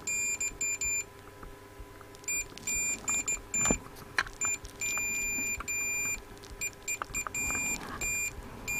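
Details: Hacker Autocrat RP33 radio, with a continuity meter on the tuning capacitor as its vanes are moved: bursts of high, steady beeps come and go irregularly. The plates near the top are intermittently shorting.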